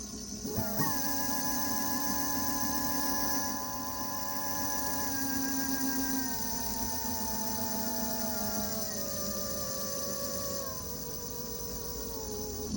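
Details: Segway ZT3 Pro D scooter: clear whining tone with several overtones, stepping down in pitch as the scooter slows. Hub motor whine; owner asks whether it is normal; cause unknown.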